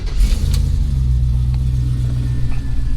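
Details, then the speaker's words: 1954 Chevrolet patina car, bought after sitting under a tree; starts first time without pumping gas. Deep, steady rumble with even beat, no knocks or misses; idles smoothly and runs healthy. "time, no pumping the gas. Just absolutely incredible. Just runs amazing."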